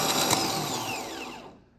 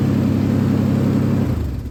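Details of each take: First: Starter removed from a 2008 Ford Ranger 4.0 with a replacement engine, no-start after sitting months, bench tested: brief rough, gravelly, growly whir that winds down within about a second instead of spinning freely; worn starter, replaced. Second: Truck after another shop's engine replacement, previously grinding and dragging on crank after sitting; after new starter and new ground cable end, it cranks quickly, catches straight away and revs smoothly, sounding much better.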